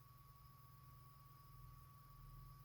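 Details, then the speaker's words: Small RC car cooling fan for the speed controller, after the fix, powered for testing: very faint steady high hum with soft airy hiss, no rattle or buzz; much quieter than before and fast enough to cool the controller. "et prend un peu des tours on commence à l'entendre mais beaucoup moins qu'avant et là c'est tout à fait raisonnable et vu la vitesse à laquelle il tourne ça suffira bien refroidir le contrôleur"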